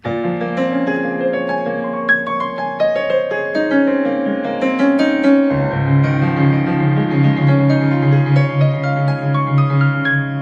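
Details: Korg Krome keyboard after its popping and cutout fault was fixed by replacing the internal micro SD card with a new 8GB class 10 card imaged with the Korg file. Clean, continuous piano notes play with no pops, crackles or cutouts, so sound output is normal.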